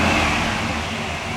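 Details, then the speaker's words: 1983 Chevy Impala winter beater with a 350 small-block V8, driven 18 years, started and blipped: deep, even rumble easing down after the throttle blip, steady with no knocks or misfires; normal, healthy V8 running. "let's do it that sounds great sounds really nice actually"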